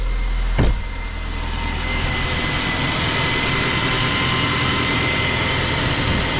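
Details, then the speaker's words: Vauxhall engine idling quietly after belt noise was fixed by cleaning grease and oil buildup off the pulleys and belt; one knock, then steady even idle with no squeal or chirp, faint constant whine. "oh fixed it Doty pules build up of build up of grease and oil on the Belt fantastic that's quietened it right down"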